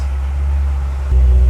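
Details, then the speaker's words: C6 Corvette Z06 LS7 V8 started after removing jumpers and plugging the OnStar box back in. A brief starter whir, then it catches at once into a firm, even idle: a clean start, though a check engine light appears. "there's our jumper solution car is running okay but what is that check engine light about"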